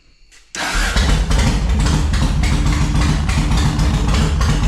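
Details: 2004 Yamaha Road Star Midnight Edition V-twin, cold, after new fuel pump and fuel system parts: cranks and catches abruptly, then loose, uneven putter on choke; junk buildup found inside the carburetor, worked on by covering intake while throttling on choke.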